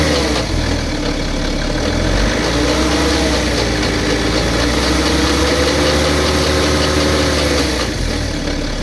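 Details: BMW petrol engine idling with a light, busy rattle over the steady engine note; timing chain noise is suspected but not confirmed.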